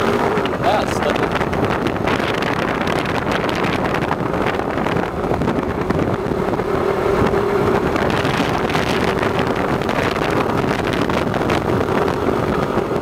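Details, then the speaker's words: 2007 Suzuki Burgman, warmed up, on a full-throttle takeoff: engine roars up with a faint squeal while the scooter lags; squeal has lessened but slipping increased, suspected CVT clutch slip. "so I think you definitely heard it that time so that's probably enough evidence to uh to show you what's going on that was really bad there explain but the squealing gotten less but the slipping it's gotten more"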